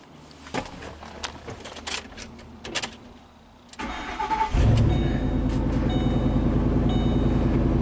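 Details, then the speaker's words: 2008 Ford Expedition that was stalling because its intake tube was missing, so the mass airflow sensor misread air; with the air pipe reinstalled it cranks briefly, catches cleanly and settles into a smooth, steady idle, starting and running healthy. "So our air pipe is reinstalled. I think this should fire up and run just fine."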